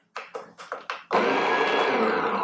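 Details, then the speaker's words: Vario/Vario W flat ceramic-burr coffee grinder, running empty at setting 2Q during recalibration. Light ticks, then a smooth, even motor whir with no rubbing or chatter; the burrs do not contact, so the calibration needs tightening. "can hear the burrs do not contact currently at this setting."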